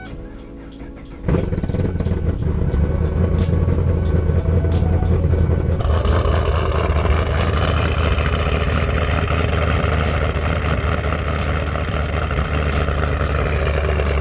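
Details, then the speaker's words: 2010 Camaro SS V8 (BTR Stage 4 cam, long-tube headers) after new header gasket and spark plugs: cranks, catches and idles smoothly, exhaust leak gone. "[Music] no exhausted [Music] god that sounds so much better jesus wow that sounds way better"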